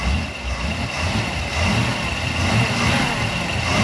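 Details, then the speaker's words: 1991 Malibu Competition ski boat, brand-new built 350ci Chevy V8 on its first start in the water; lumpy, slightly uneven low idle burble with no misses; owner says it's running rich and the carburetor needs adjusting. "all right she's rich he's rich and I need to go Runner adjust the carb"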